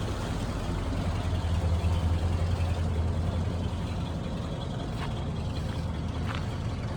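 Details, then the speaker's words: 74-year-old vehicle "Ned", idling: a steady even low rumble with a regular beat and no misses or knocks (heard as a flathead V8); runs like a clock. "Boom. Chiboum. That's it. Run like a clock."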